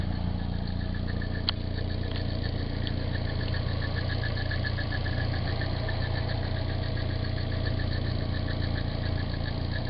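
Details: Nissan 240SX, stock engine, 160,000 miles, steady idle with a light even ticking rattle about three times a second; owner unsure whether timing chain is hitting the guide or it's water pump noise.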